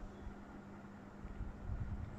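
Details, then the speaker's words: Panasonic F-M14C7 ceiling fan after replacing the circuit board that caused a strange noise: quiet, soft steady low hum with no rattle or grinding; speed control works again. "It's much more quiet now."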